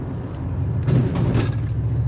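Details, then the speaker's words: Daily-driver car on a road test: loud, deep, throaty drone swelling with throttle; massive holes in the muffler causing exhaust leak. "Dude, the exhaust sounds good on this thing. >> Massive holes in the muffler."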